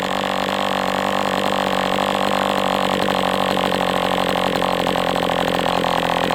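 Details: MDS 68 FS Pro glow engine during break-in at operating temperature, still tight: loud steady high buzz at even speed without surging or sagging; running cleanly, better than with the idle bar plug.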